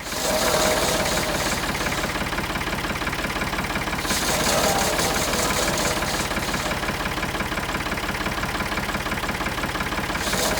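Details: Vintage E.S. Hindley cast saw bench, unused about 20 years, driven by PTO shaft from a Ford 4000 tractor; steady even whirr with no knocks, grinding or rattles; runs smoothly.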